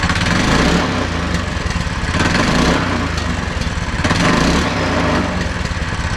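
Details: Go-kart small single-cylinder engine after torque converter and belt installation runs with a slightly uneven, surging beat but no knocks or grinding; sounds healthy enough.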